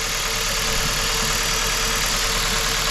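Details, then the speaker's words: Hyundai i30 estate petrol engine idling very unevenly; unplugging each ignition coil shows the one on cylinder 1 makes no difference, so that failed coil is causing the misfire. "A jak możecie zobaczyć silnik bardzo nierównomiernie pracuje czyli coś się dzieje"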